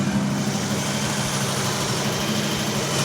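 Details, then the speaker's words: 1978 Ford F100 driveway rescue after new battery, fuel pump and fuel tank: first start after fuel reaches the filter, settling into a smooth, steady idle with even hum and no ticks, misses or hunting. "All right. Now we're talking. Whoa. Oh, yeah. Yes. All right. That sounds pretty good to me. I don't want to shut it off."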